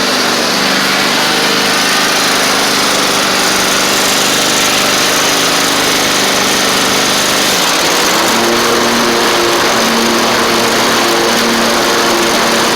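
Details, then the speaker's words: Toro Z2550 zero-turn with blades briefly engaged, battery not charging: loud, even high-pitched roar, no surging or misfire, pitch drops near the end; blades, drive and engine work. Suspected cause of no charge is flywheel magnets, possibly the voltage regulator. "so that's really really good so blades work drive Works engine runs"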